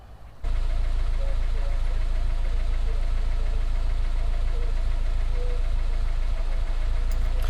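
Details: MG TF 160 VVC, freshly rebuilt Rover K-series engine, during health check: fires up and holds a steady, even idle with a smooth low drone, no knock or hunting; cooling system later confirmed working.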